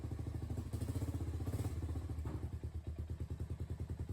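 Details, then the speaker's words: Honda ATV front differential run on low, dirty fluid after trail rides: low thudding knocks about three per second, only when letting off the throttle; backlash between gears, worn limited-slip clutches or a chipped tooth suspected; fix is replacement. "if like mine your diff makes this sound but only when letting off the throttle it means you've got backlash between the gears or your limited slip clutches or toast maybe you even chipped a tooth"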